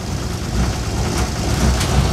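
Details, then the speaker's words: Scout II Traveler with Nissan SD33T diesel, cold start after starter upgrade: deep, slightly rough rumble held around 1,000 rpm by foot on throttle while warming up, making a lot of smoke; normal cold fast idle. "because I got to let it warm up and typically I let it uh warm up at around 1,000 RPM for a bit and I'm actually making a lot of smoke"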